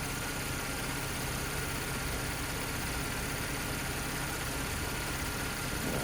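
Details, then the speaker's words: 2012 Chevy Camaro after an AC compressor replacement, during recharge with about a quarter can in: steady idle under an even rush of both cooling fans on low, no cycling clatter or knock; air conditioning running normally. "I'd like to hear that fan kicked on but I think it's on low yeah they're both on low right now so which was good"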